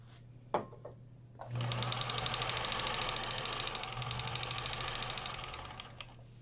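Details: Older Kenmore sewing machine that was badly seized, freed with penetrating oil: quick, light, even clatter at about three stitches a second, running freely with no binding; healthy.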